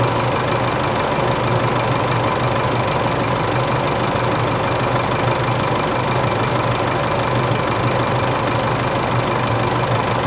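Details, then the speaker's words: Isuzu Euro 4 diesel at idle on its first start after replacing the A/C compressor and alternator belt tensioner pulleys and both belts, which had squealed slack on the first start of the day; steady diesel clatter, no belt squeal or chirp. "แล้วนะจะสังเกตได้ว่าไม่มีเสียงสายพานแล้วนะครับนี่คือการสร้างขึ้นครั้งแรกนะครับ"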